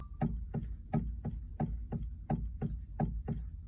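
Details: 2020+ Chevrolet Silverado: sharp, evenly spaced click (~85/min) while turning the wheel, from a loose steering shaft sleeve at the firewall, not the intermediate shaft; noise persists after dealer shaft replacement; temporary fix shown.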